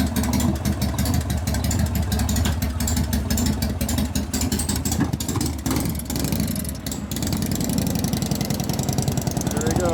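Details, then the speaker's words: 1988 Harley FXR big twin after lifter/pushrod adjustment and cam change: steady loping idle with no ticking or tapping from the top end; valve train sounds healthy, lifter noise fixed. "I'm not hearing valve noise that's a good sign"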